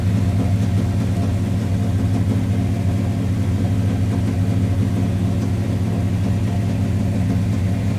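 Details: 1985 Chevrolet Monte Carlo SS, 350 V8, after flood and over a month unused, warming to operating temperature: deep, even burble at steady idle, no stumbles or knocks; smoke from a leaking rear valve cover gasket.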